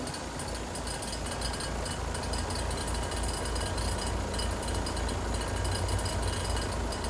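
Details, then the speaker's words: 2-ton heat pump in heat mode, 37°F outside, indoor set 72, low side fell back toward 50 psi: heavy drone with coarse throbbing rattle about four per second; abnormal compressor noise, tech suspects a leak, not confirmed. "And we got that noise again."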